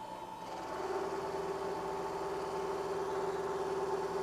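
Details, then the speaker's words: Milling chatter squaring pre-hardened D2 (about Rockwell C20) weldbox blocks with a 3/4 inch solid carbide endmill: steady ~400 Hz humming tone throughout the cut; deflection suspected mostly in the machine rather than the endmill. "This is a 3/4 inch solid carbide endmill. And still there's deflection."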